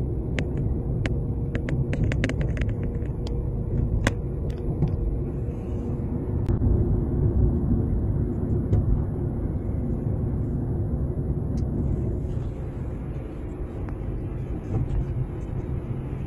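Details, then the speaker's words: Nissan Tiida driving: sharp irregular knocks from the front wheels over steady road rumble, louder over potholes and rough streets, caused by worn front sway bar end links. "ese ruido golpeteo que se escucha en las ruedas delanteras de cualquier auto lo ocasionan los tornillos de la barra estabilizadora que es este que les estoy señalando también llamados cacahuates o vieletas"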